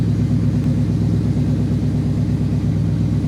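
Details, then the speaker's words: 2008 Yamaha Venture Royal Star 1300 liquid-cooled V4, cold start just after carb work that fixed heavy over-fuelling: deep, even idle sitting slightly high but smooth and steady, no popping or stumble; healthy idle, may be turned down once warm. "might have to adjust that idle where is it right there we'll see when it gets warmed up I'll turn it down if I have to seems a little bit high right there"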